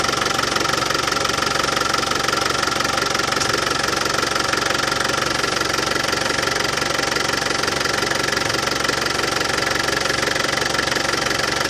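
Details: Land Rover Defender 200Tdi diesel at warm idle after new power steering pump fitted, while bleeding steering box: steady clatter about four ticks a second, no pump rattle; new pump cured it.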